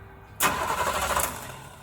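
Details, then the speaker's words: 1935 Chevy during rewiring, gas pedal pumped: starter churns about a second and a half without catching; owner wonders whether power reaches the spark plugs. Cranks, no start, cause unconfirmed. "Hang on. I'm wondering if I'm getting power to the plugs."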